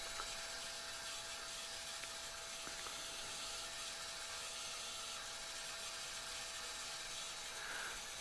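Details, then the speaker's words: 2004 New Edge Mustang after fuel pump replacement, not running: faint steady whine with gritty hiss. Owner finds the new pump noisy and suspects a lot of air still in the fuel. "Although I still don't like the sound that it's making. It sounds like there's still a lot of air in there, which concerns me."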